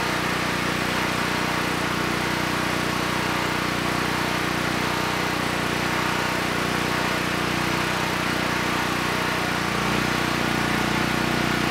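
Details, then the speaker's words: Honeywell 7500E generator bought as parts-only, after carburetor work and fitting the missing air filter, started on the first pull: even, steady drone at constant speed with no hunting or stumbling, so the carburetor is judged good. "okay good it started right up first pull and the carburetor is running the engine well so I think we can cross carburation off the list"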